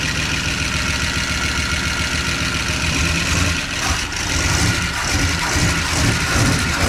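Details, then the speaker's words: 1988 Dodge Power Ram, sat 23 years, rough lumpy idle with stumbles that smooth slightly as it runs, after fitting an aftermarket air-gap-style intake; milky oil, water spitting from exhaust, oil pressure present; owner unsure one cylinder's rings will recover. "Starting to sound a little better. Oh, it's awful milky. It's starting to sound better the more it runs."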